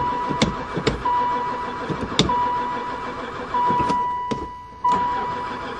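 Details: Long-stored van (sat about 4 years, barely ran before) cranks in repeated few-second bursts and never catches, even after gas was poured into the intake. Owner suspects no spark. Crank, no start.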